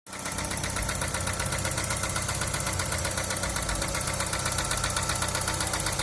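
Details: Daewoo Nexia idling: steady, sharp knocking about two and a half per second over the idle; something inside the engine is knocking, cause not pinned down.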